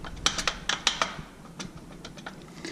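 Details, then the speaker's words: Harley touring motorcycle shift lever rocked by hand gives sharp metallic clacks and clunks. Worn shift lever pivot bushings make the linkage loose; both bushings to be pressed out and replaced. "that shifter linkage is really just shitty loose and if you listen there you hear the clinical clinical clunk the clunk is coming out of here"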